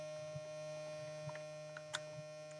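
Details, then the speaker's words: Small USB-powered vacuum pump from a filament vacuum storage kit, evacuating a sealed filament bag through its valve: steady low electric hum with faint light ticks, even and unchanging; pump running normally. "You can see it's moving. So you also see this bead then. You also hear the noise, how loud it is."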